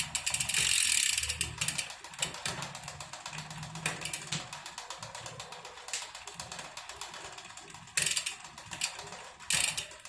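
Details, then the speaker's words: 2018 Specialized Venge at its 20,000-mile overhaul: bright, irregular clicking as the chain rubs the not-yet-adjusted front derailleur; cable not fully seated, so tension was too low to tune. "that clicking you can hear is from the front derailleur i haven't actually adjusted it yet so that's why it's making that noise"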